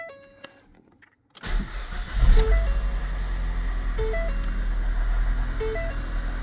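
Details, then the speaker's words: 2014 Ford Fiesta 1.6 first start after replacing the timing belt, tensioner, idler pulley and water pump: a short crank fires quickly into a smooth, steady idle with a chime beeping and no belt squeak. Normal start-up and idle. "So far so good. I did not have any squeak from the belt. I guess pulleys were not as soaked as I thought."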